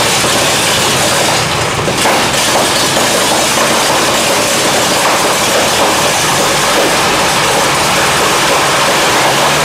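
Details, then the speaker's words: 1923 Seagrave 1000 cid six-cylinder fire-truck engine, firing order 1-4-2-6-3-5, sat outside for years after a fire, first start fed from a temporary tank with a Nissan coil, on choke: big ragged roar with no steady beat; leaking carb needle and seat, ignition timing wrong. "Pretty exciting, huh? Still got some problems. It's okay. We're going to work it out."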